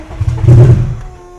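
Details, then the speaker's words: Low-mileage 600 hp drag-racing Subaru WRX that sat about 15 years, cranked with ether sprayed into the brake booster hose; short cranking tries to catch with a low rumble then dies, crank no-start, fuel pump sounds weird. "I don't think this thing wants to run. Just a little bit of starting fluid. More ether solves all problems. It ain't starting."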